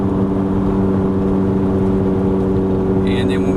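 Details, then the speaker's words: 2001 Chevy Venture minivan at 248,000 miles, driving: steady loud droning roar from a worn passenger front wheel bearing with ABS sensor; stops turning right. "Because when we were turning the other way, it got so bad it was kind of not just a roar, but then you can feel it kind of shimmying. But as we go up here, I'll let you hear it again. But I mean, you can hear the roar."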